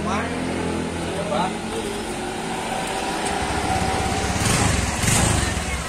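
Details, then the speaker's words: Honda Vario 125 scooter after rear wheel/CVT bearings greased, cleaned and reassembled, previously rough noise when wheel turned: revs up smoothly with even drone, no rattle or grinding; drive now healthy. "Udah nggak ada bunyi ya. Nih rodanya diputar sudah halus, nggak ada bunyi kosong kosong kosong kosong."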